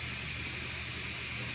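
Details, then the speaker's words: Electric pressure canner warming up for meatloaf, before switching from exhaust to airtight: a steady, even hiss of steam from the exhaust vent with no sputter. Venting is normal during the E10 countdown. "Countdown continues. You can hear the steam. It seems pretty steady."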